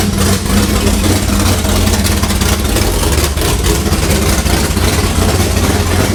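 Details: 6th-gen Camaro V8 with new cam, heads and intake, dyno-tuned with valve lash set: deep, loud, choppy big-cam lope firing evenly, no knocks or ticks, louder than previous engine; healthy.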